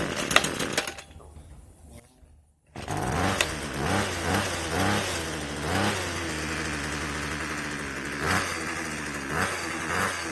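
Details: 2021 Black Max two-stroke string trimmer after replacing its broken throttle trigger; silence then a steady, even buzz with no stumbling: normal running.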